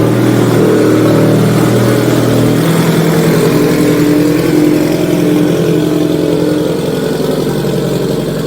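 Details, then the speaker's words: Subaru STI (04/05) with TOMEI exhaust, after new gaskets were fitted to fix a leak: a loud, throaty exhaust swells and falls with the revs, with no ticking or puffing at the joints. Exhaust is sealed, no leak. "Just got to get her off the lift and hear her start. Loud, Well, it's a good loud."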